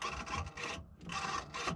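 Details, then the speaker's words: 1999 Bobcat 864 skid steer, bucket tilt actuator, tested after AHC computer replacement: three short, smooth buzzing runs with no grinding or catching; actuator working properly. "that sounds fine now here's the bad side okay you can hear it working great"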